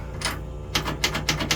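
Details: Sharp dry clicks about three to four per second with the key on in a 1956 Chevy Bel Air after installing an American Autowire Classic Update harness; the electric fuel pump is ticking away normally.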